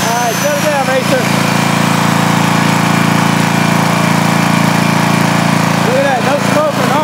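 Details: Rebuilt 10 HP Briggs single-cylinder on a 5000 W Coleman generator, formerly smoking, after new rings, running a grinder after reading 244 volts: steady even drone holding speed under load without hunting or missing; healthy.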